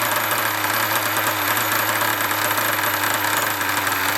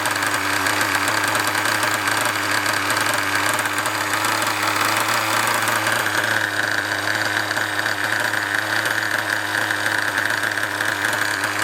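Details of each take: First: Apart from that rattly brake disc. I'll put my finger on the brake disc, you know. There we go, rattle's gone. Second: Nova nitro engine in an RC buggy, a tube fitted instead of the exhaust, buzzes steadily at a high idle with an even mechanical whirr and no misfires; a rattly brake disc is also heard; normal healthy running.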